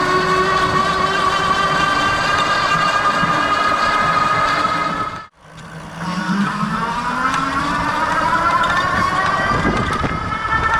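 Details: Lectric 2.0 Step-Thru e-bike with a whining rear hub motor tone rising and falling with speed over an uneven tick of about four beats a second. The cause is unclear; the owner asks if a new rear motor is needed.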